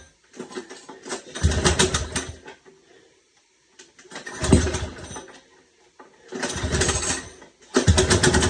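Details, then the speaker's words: Small engine after carburetor rebuild and stripped bowl bolt repair: barks to life in short bursts, each catching and revving about a second before dropping out; fires readily, got it running. "That was the carburetor I just rebuilt. Got it running."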